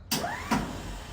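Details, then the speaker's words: 1952 Dodge Wayfarer, original starter, 6-volt converted to 12-volt, jump pack attached: a sharp click then a free-spinning whir that fades without turning the engine; starter spins without engaging, cause unknown, possibly the engagement mechanism or excess voltage. "Sometimes it'll engage. But the last time I was out here, I actually just stopped working on it because I couldn't get it to engage."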